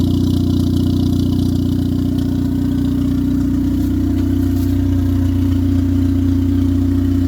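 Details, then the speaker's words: 1996-99 Honda Civic EK turbo after alternator replacement: steady, even idle with a smooth low hum, no misses, knocks or stumbles; no longer bogging like when the old alternator drained the battery. "We got a new one installed, replaced. Car sounds beautiful. It's not breaking down like before."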